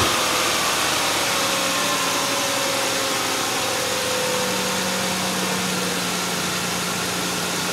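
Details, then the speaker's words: Ford Explorer idling after a water pump replacement, with the coolant bled of air and topped off. A smooth, even idle hum with a light hiss and no knocking or stumbling; it runs smoother than before and sounds stock: normal idle. "uh runs a lot smoother it sounds it sounds good sounds like stock you know doesn't sound like it's old and old and busted as it just sounds it sounds clean and seems to run pretty smooth"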